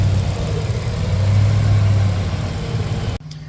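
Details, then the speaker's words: Newly rebuilt Nissan Navara EP31 VG30 V6, fully warm: smooth, quiet, even idle with only light injector ticking; the earlier tapping noise comes and goes; runs healthy. "See, it sounds beautiful and quiet now. The loudest noises you can hear is the injectors."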